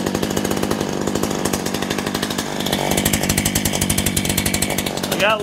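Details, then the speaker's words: Poulan Pro two-stroke chainsaw, owned about 12 years, on 50:1 synthetic mix, cleaned up for a new season, chain lube running. Steady, even high-speed buzz with crisp regular firing and no misses: "don't run too bad," healthy. "oh that don't run too bad"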